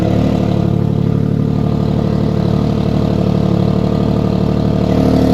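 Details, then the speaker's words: 2014–2017 Infiniti Q70L 3.7L V6 after a major tune-up, idling steadily with a fast rhythmic puffing tick over the low exhaust note: an exhaust leak. "Got a nice little exhaust leak."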